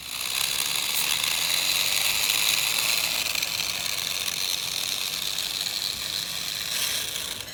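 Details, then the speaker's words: HBX Transit RC car being driven: harsh, high-pitched gritty grinding with an uneven ratcheting rattle; the pinion and spur gear are nearly stripped. "I don't know if you can hear that noise but it just sounds like the most classically grinding Gears of death that's just mainly the pinion of spur gear"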